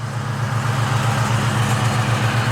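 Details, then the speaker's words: 1998 Mustang Cobra (forged pistons, Coyote rods, about 320 hp at the wheels) idling before repair. A rough, gravelly whirr rides over the engine note from the worn AC compressor clutch, which is to be replaced. "uh yeah compressor clutch is shot I'll let you hear just a second"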